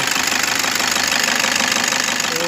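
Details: Toyota Innova V model diesel, engine running: a constant gritty, rough whirring that stays steady with revs; the A/C compressor bearing has failed and is jamming, so the compressor is to be replaced.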